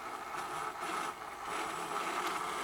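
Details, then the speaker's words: Pump test with suction pressure around 26–28 inches of mercury vacuum: steady hissing, rushing noise with a band near 1 kHz as flow is lost, a big vapor bubble collects in the flow meter, pump running nearly dry from vapor or air. "the flow is lost flow is gone the one big vapor bubble is now accumulated on in a flow meter and you can start hearing the noise the pumps essential running dry with a veins code is a by vapor or by air"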